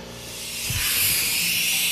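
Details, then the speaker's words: Vevor CUT50P plasma cutter air supply as compressor fills: sharp steady hiss growing louder with pressure; air leak, owner suspects a loose hose fitting despite clamps, as reviews reported; not confirmed. "hear that? That's the sound of a leak. And I believe it's around this fitting right here, which I had read in some of the reviews, some of the other online videos, that that's a problem because this is not a tight fitting."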